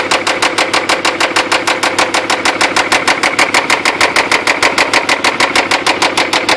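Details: 3rd-gen Toyota 4Runner engine idling with sharp, even knocks about three per second. The owner suspects internal damage from over-revving while stuck in mud, and possibly lost oil pressure while the truck was tilted sideways; unconfirmed.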